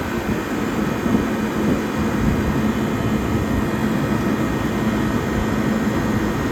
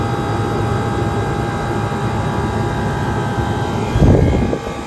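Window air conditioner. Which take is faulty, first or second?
first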